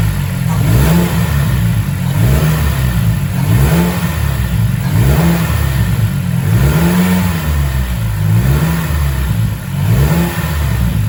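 Engine sweeps up and down in smooth, repeated blips with an even pull and no knocking or rattle; sounds healthy.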